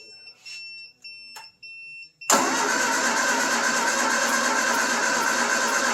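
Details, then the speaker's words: 1974 Triumph Spitfire with a rebuilt Zenith Stromberg CD150 carburetor, first running: it catches after a few cranks and runs rough, popping back through the carburetor. The ignition timing is slightly off, and coolant is leaking at the water neck. "Time this off a hair. You can hear it burping back through."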